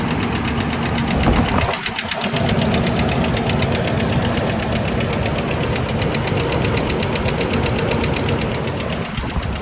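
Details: 2000 Ford Ranger XLT engine running with a loud, rough, rapid tapping knock about four per second from inside the engine, which began two days after repair; cause unclear.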